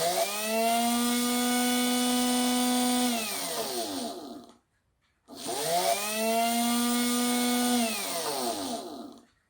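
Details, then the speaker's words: Makita 8400D 9.6V cordless hammer drill motor powered directly, bypassing the push switch with corroded contacts, drawing about 1.82 A; two bursts of clean steady high whine winding down smoothly; normal motor run. "Right, well that's good. Motors works. That is a lovely big motor. Motor works, switch doesn't."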